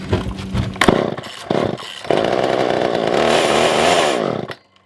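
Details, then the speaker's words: Older Poulan 2000 chainsaw, unused for a long time, choke on: sputters and stumbles, surges to uneven rev and cuts out; suspected poor fuel pickup, though fuel line and filter looked fine; later fixed by carb clean and trimming fuel line. "so yeah so i don't think that we are getting any kind of fuel any kind of real good fuel pickup"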